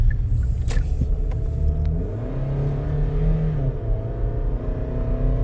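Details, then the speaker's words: 2013 Hyundai Santa Fe under hard acceleration, deep muffled strained roar with little power from a suspected plugged exhaust; earlier a rhythmic noise on acceleration raised suspicion of rod knock or severe detonation. "I'm going nowhere. I mean, I sound like I sound like a Honda Civic. Some kid has a air induction kit on it, and the car accelerating up the road, and you hear is whoa, and they're going absolutely nowhere. That's what it sounds like to me. So that, to me, tells me I got a plugged exhaust."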